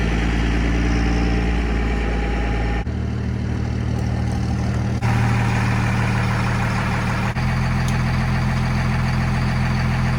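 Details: 1971 Dodge Charger Super Bee with a 383 big-block V8, leaking core plugs and radiator, cold start in the driveway before the engine is pulled. A deep, even burble at a fast cold idle, stepping down smoothly with no knocks or misses: healthy.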